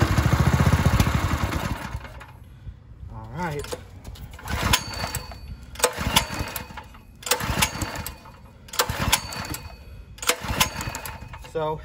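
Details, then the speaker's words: Ryobi 3100 psi pressure washer with a 212cc engine, run on starting fluid: it roars briefly and dies, then repeated rope pulls give only short bursts. The engine runs, but the carburetor is suspected to be badly clogged and will be removed. "at least we know the motor runs I'm gonna drop the carb I have a feeling it's pretty bad"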